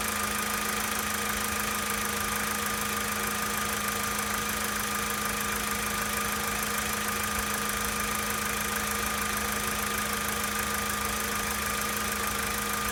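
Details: 2013 Volkswagen Polo Sedan Sochi Edition, 65,000 km, cold idle: a steady hum with a light, fairly regular tapping of about 2–3 per second underneath; knock present, cause unconfirmed.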